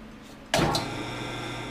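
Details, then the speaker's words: Lathe motor switched on: steady low electrical hum that never winds up, motor energized but won't spin, failing to start about 90% of the time and needing a hand start; long blamed on the starting capacitor, actually fixed by adjusting a misadjusted centrifugal switch. "You turn this thing on and 90% of the time this thing would not start. The motor would hum. You could tell it was energized, but it wouldn't spin."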